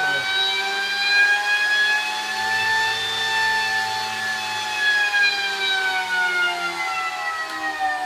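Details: High-power PMAC electric motor on an EV power bench, started by key-on precharge: smooth, steady electric whine with clean tones drifting gently in pitch and no knocks or grinding; motor runs healthy with no fault information.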